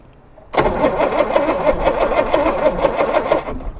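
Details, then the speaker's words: 1962 Jaguar Mk10, positive earth, sitting 15 years: starter spins engine over at an even brisk rhythm about three seconds, no grinding or jamming, correct rotation, after earlier smoke puff from cylinder head; normal cranking. "Okay, well, it moves, it turns over, the starter works, that's great news. And the engine also appeared to be spinning in the correct way."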